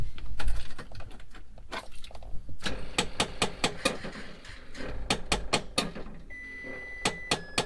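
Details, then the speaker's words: Cab of a 2008 Freightliner MT-45 (6.7 ISB Cummins, Allison 1000HS): loud, sharp, irregular clicks with dash chimes from the disconnected vent mix (blend door) flap actuator hunting. "Ignore this noise. It's like the vent mix flap. It's not connected, so you'll hear like a click click noise."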